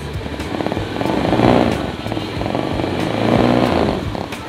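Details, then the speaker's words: Used Honda Beat FI scooter, engine started and revved: two smooth rev rises and falls with steady buzz, no ticking or rattle from the CVT; engine and CVT healthy. "masih mulus guys, suaranya juga di CVT-nya nggak ada yang ngelitik, ini halus banget."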